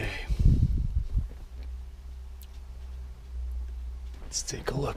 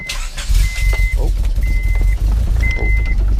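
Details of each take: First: Turbo Honda Prelude after winter storage, battery charged about 15 minutes: the starter churns steadily for about three seconds but the engine never fires; the spark plugs came out completely wet, and no spark is suspected. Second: Turbo Honda Prelude with Hondata ECU, base map loaded, fresh spark plugs, rewired, new distributor, first start after winter storage: brief cranking, then catches at once into a steady, even low rumble, no misfire or stumble; normal start.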